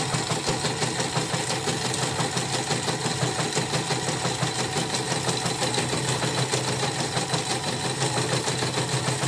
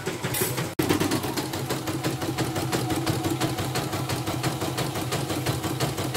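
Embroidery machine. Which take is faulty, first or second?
first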